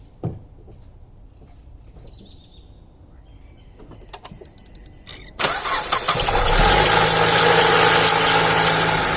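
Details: Alfa Romeo 159 JTS petrol engine starting and idling with a busy metallic rattle over the running note, from the timing chain, recorded before the chain was changed.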